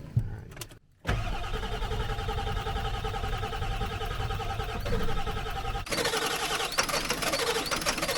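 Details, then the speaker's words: Diesel truck after new fuel and new batteries, bleeding high-pressure system via Schrader valve: fast steady cranking that nearly catches but won't start; air came out when bled, air in fuel system. "oh man it's so close to starting you want to check I'm gonna bleed that again air anfield came out that time"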